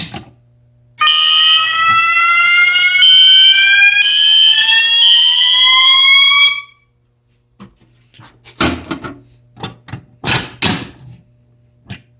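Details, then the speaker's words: Fire alarm system test: pull station operated, with System Sensor SpectrAlert Classic and MASS ADA notification appliances. High-pitched horn tones sweep upward for about five seconds, then stop: sounding normally. "Okay, I don't know why, but that sounds so cool together."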